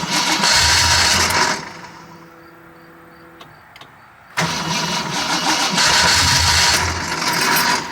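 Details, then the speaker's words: 1979 AMC Spirit AMX with new aftermarket EFI; the fuel gauge doesn't work. The engine fires, roars briefly, fades and catches again repeatedly; the owner suspects no fuel pressure or an empty tank: cranks but won't stay running. "uh-oh am I out of fuel haven't built fuel pressure yet again uh we have no idea how much fuel is in this thing cuz my fuel gauge doesn't work so may have also just run this thing out of fuel"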